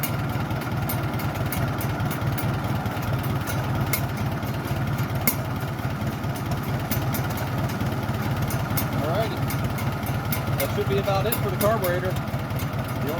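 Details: Farmall tractor after carburetor rebuild kit install, initial kit settings, started without choke: low, steady putter at idle with even firing and no misses or knocks; running smoothly.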